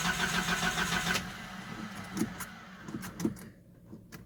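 Starter churns at a steady rhythm for about a second, then drops off with scattered clunks and never catches; hard start, cause unknown.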